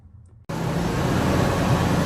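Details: 1998 Ford Expedition, 5.4 L, about 151,000 miles, chasing EGR codes P0401, P0402 and P1401 after a vacuum leak was found in the fender well: steady, even low rumble with no knocks, misses or hunting; normal idle.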